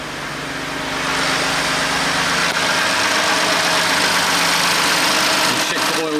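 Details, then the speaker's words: Crash-damaged BMW M2 Competition, rebuilt and making about 630 bhp, on its first start after refilling oil and coolant: a quiet, even idle hum with steady low tone and hiss, no knocks or ticks, running clean. "it's really quiet you wouldn't know it that's for sure"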